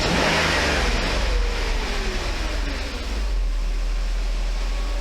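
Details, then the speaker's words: Mercedes 500E W124 engine at idle and gentle revs on thin cleaning oil: light irregular ticking coming and going; a hydraulic lifter sticking now and then, less than before as the oil cleans it. "so let it be sometimes you can hear that lift to tick time to time"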